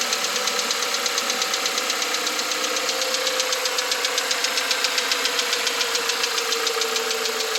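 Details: 2021 Volkswagen Atlas, 2.0 TSI EA888 with 7,500 km and fresh VW 0W30 oil. On cold start, a quick even ticking about four times a second appears as the revs settle; cause not identified.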